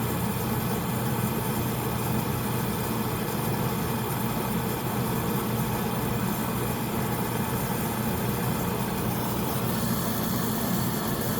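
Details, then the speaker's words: Home oil furnace burner after running out of oil, before bleeding the line: burner motor and fan drone steadily but no flame catches; air in the fuel line keeps it from lighting, so it is stopped to bleed. "I don't want to waste you guys time, so I'm going to press it to stop it. It's not going to start."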